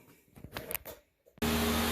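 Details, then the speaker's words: 2008 Saturn Aura with CAN bus faults, cold engine just started with code P0128: after a quiet moment a loud, steady rushing roar with a faint hum comes in as the cooling fan runs on high speed. "so i started it and if you listen the fan's on high speed like if you hear it over the engine but the fan's on it's cold engine though"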